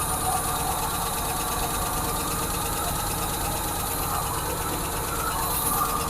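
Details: 1986 Ford F150 that sat for years, just restarted with oil pressure now confirmed: a steady idle with a light, quick valve tick that fades as it warms, and the engine starts running better.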